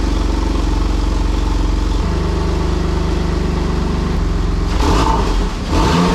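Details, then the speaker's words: Porsche 996 Turbo, running again after fuel, boost and vacuum leak repairs: even, smooth flat-six idle with no misfires or air-sucking hiss, then a clean rise in revs; runs really well. "pretty happy boys it's back running it sounds like it's running really really well no misfires no weird things it doesn't sound like a sucking air out of the top of the engine"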